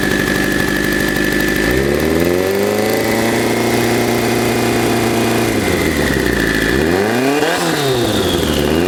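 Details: 1984 Kawasaki GPZ750 Turbo, fuel-injected, first start after sitting under a tarp since 1989; rusty fuel tank, dirty injectors. Revs rise and fall with throttle blips, idle uneven between them; still running rough after long storage.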